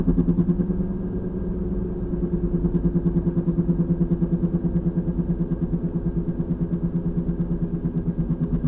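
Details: 2003 VW Passat FWD, 180,000 miles, in motion: a regular front-end thump about three times a second that tracks road speed and changes as steering loads each side. Torn passenger CV boot. The owner suspects the passenger front wheel bearing, bushings, tire or balancing. Noticed 2–3 weeks ago and getting louder.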